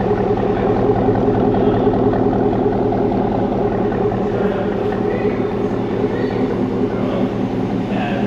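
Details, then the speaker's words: 2017 Cadillac Escalade 6.2 LT V8 with BTR cam, DOD delete and Corsa exhaust, idling at first startup on Holley while burping cooling system and warming oil: steady choppy lope, even rhythm, no knocks or ticks; normal cammed idle. "She's idling. We're burping the cooling system, getting the oil nice and hot. She sounds real good."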